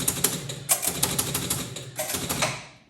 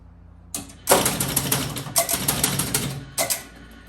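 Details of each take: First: 1976 Bally Flip Flop EM pinball on game start: rapid clattering relay and reel ratchets firing in repeated bursts without settling; stuck in reset loop because one score reel stays at one and won't return to zero. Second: 1976 Bally Flip Flop electromechanical pinball machine during score test: fast bursts of mechanical clicking as the score reels step and reset cleanly. Normal score reel reset.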